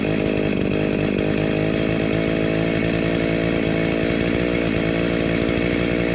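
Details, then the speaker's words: Dolmar 109 chainsaw (second of two), after restoration with a homemade shortened chain and the oil pump sorted: strong, even two-stroke howl at a steady high pitch without stumbles or surging; running clean and healthy. "It is I know it's running well and it is uh oiling."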